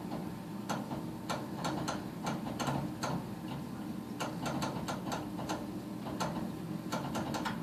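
Sharp dry ticks come in uneven clusters, a few per second, over a low steady hum while the furnace fails to light.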